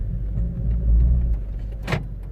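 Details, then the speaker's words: 2012 Vauxhall/Opel Meriva B petrol after rear door lock repair (BCM code B2524-59 fault): low car rumble pulling away, then one short sharp clack as the doors auto-lock on driving off; normal door auto-lock. "You will see that they're still obviously locking as you drive off."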